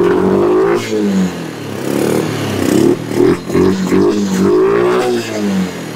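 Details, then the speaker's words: Kawasaki Bayou 300 single-cylinder with an aftermarket carburetor, idle knob being adjusted: the idle stumbles and surges and never settles; rough running, owner suspects an intake leak or a sticky intake valve. "I'm gonna turn this knob down here to control the idle by the hair it ain't running good but it's running"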